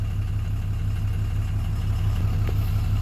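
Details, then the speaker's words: 2007 Dodge Ram 2500HD 6.7 Cummins, after a no-crank/no-start, with the original TIPM refitted, possibly with an aftermarket fuel pump needing a tune: deep, steady diesel idle with an even low beat and no misses or knocks after running a few minutes. Normal idle. "so it's been running for a few minutes now we're going to do another full system scan"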